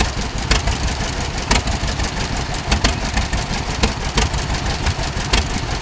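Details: Tractor at a steam-up show with a slow loping idle and a sharp puff about once a second over the chuffing; suspected small exhaust leak.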